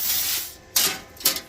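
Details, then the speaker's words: AUTOGEN plasma cutter starting: short bursts of air hiss with no steady arc crackle; arc fails to strike, suspected dirty or worn tip. "Alright, we're not managing to start that up very well. So I'm going to bet that it's probably a dirty tip at this point."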